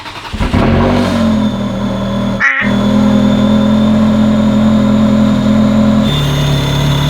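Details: Ferrari 360 Spider V8 at steady idle with thin high constant whistle; persistent vacuum leak, suspected intake gaskets, later fixed by removing intake manifold and replacing gaskets. Vacuum leak whistle.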